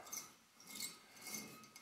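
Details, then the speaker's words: Hot rod front brake job: slow hand turn gives a dry, gritty scraping swelling and fading each pass; the caliper has no grease. "it's because there's no grease in this"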